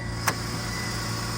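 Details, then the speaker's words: 1990 Mercedes 300E, bought as a project and reported to stall; earlier cutting-out blamed mostly on the battery. Low, steady idle with one brief click near the start, smooth and quiet. "uh W this is awesome it's so smooth and quiet"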